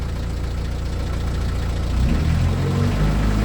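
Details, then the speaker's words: Narrowboat with newly rebuilt BMC 1.8 diesel, cruising toward Napton: deep, steady thrum with an even beat holding firm as it pulls, with much more power and control than the old popping engine; healthy running. "that. Can you hear that? Wow, the amount of power I've got now."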